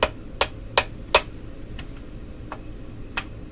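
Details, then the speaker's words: Northern Electric Model 8508 "Midge" five-tube radio, line voltage being raised from 105 V toward 117 V: sharp, irregular crackling pops from the speaker, some loud and some faint; a component is suspected of failing, cause unconfirmed. "I think that's coming out of the speaker when I do that."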